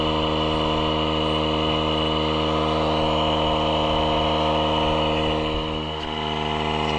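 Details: Small air inflator pumping up: steady, even buzzing drone with a fast pump pulse and no catches or strain, inflating quickly; running normally.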